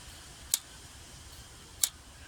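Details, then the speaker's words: Jaguar XKR (X100) throttle body, engine off: the throttle cam snaps back onto its idle stop with crisp single clicks, the normal rest-position click to keep after taking up throttle cable slack. "so the click that's in its rest position so it's still got to be able to do that so once we've done the adjustments we still want it to make that sound"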